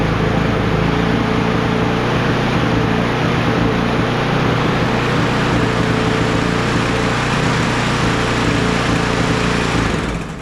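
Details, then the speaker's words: Crusty Troy-Bilt TB110 push mower with a Briggs & Stratton 550EX engine and a burnt-looking hole in the gas tank, first start: a steady high-pitched buzzy run with no load dip, like it has no blade. Engine overspeed; cause not confirmed. "well it runs but it just runs kind of weird kind of high RPMs like it ain't got a blade or something on it"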